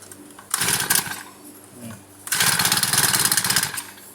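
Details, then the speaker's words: Honda GX35 four-stroke brush cutter that keeps failing to start: buzzes up while throttled, then sags and stalls when released, twice; won't hold idle. Carburetor and idle adjustment suspected. "ลองกำซอยต้องได้กำคเรงซอยแล้วครับปล่อยแล้วก็ดับปล่อยแล้วก็ดับ"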